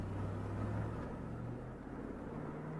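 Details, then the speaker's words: 2004 Chevy Tahoe with P0300 random misfire that stalls and stumbles at idle, brake-torqued in drive: the engine note stays steady and even with no misfire, though a small arc is still heard from a plug wire. Normal running. "Then you hit the accelerator. No misfire. None at all. Again. No misfire."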